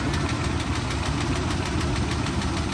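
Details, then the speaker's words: Auction truck at idle: rough, uneven knocking under a loud idle with shake. Could be the engine knocking or a leak from the splitting exhaust manifolds; owner leans toward top-end lifter tap, unconfirmed. "It's interesting because it could be one of two things. It could be the engine itself that's knocking, or"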